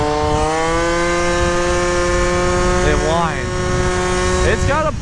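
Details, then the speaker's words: Stock Yamaha Zuma 50cc scooter rebuilt to a Stage 6 70cc two-stroke with straight-cut gears fitted and gear oil filled; steady high gear whine over the engine drone, wavering with throttle, which is normal straight-cut gear sound. "Well, you can tell we have straight gears now. You can definitely hear we got straight gears now."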